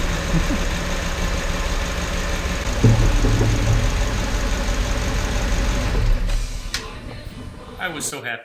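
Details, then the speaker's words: 2012 Ford Raptor 6.2 V8 after a new exhaust manifold, gaskets and studs to fix a broken right-rear stud leak: deep, even idle with no ticking or puffing at the manifold; leak gone, normal idle. "that this actually stopped the exhaust leak and worked that I just decided to call it a night"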